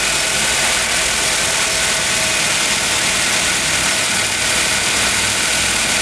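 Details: 1.6-litre car with 130,000 km and a replaced gearbox, after a noise repair and reassembly: a steady, even idle with a smooth hiss on top and no rattle or knock, so normal idle.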